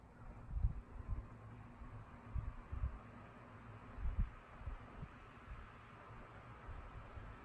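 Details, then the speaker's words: 2007 Airworks 16-inch pedestal fan, 0.45 A, cast metal motor housing, on speed one (low), not run in a while; soft low hum with gentle slow throbbing, quieter than expected, no ticking, scraping or rattle; normal smooth low-speed running. "huh you know what it's actually a lot quieter than i thought i was so i guess this is low speed and it's actually you know what i'm pleasantly surprised it's a pretty nice low speed it has a pretty neat sound when it runs"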